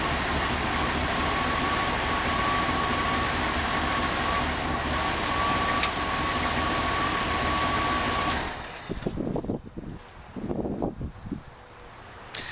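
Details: Idle of a carbureted Chevrolet V8 motorhome engine, fired up during a cheap transmission fluid flush (about 12 quarts through the circuit); steady, even low rumble with no misses, knocks or stumbles; normal idle.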